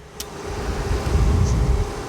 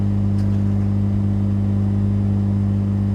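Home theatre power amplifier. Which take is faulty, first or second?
second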